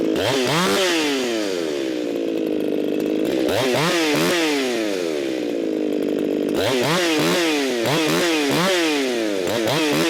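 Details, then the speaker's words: Echo 4910 chainsaw (modified), warmed up after long storage, tuned by tachometer aiming for 13,500 rpm: high two-stroke scream rising and falling in blips, then hanging at full throttle near 15,000 rpm; mixture far too lean. "Way too lean. That jumped up to 15,000 RPMs. Way too lean for this here saw. Way too lean for most saws."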